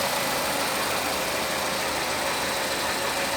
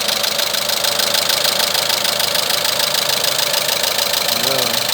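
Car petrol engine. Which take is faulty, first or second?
second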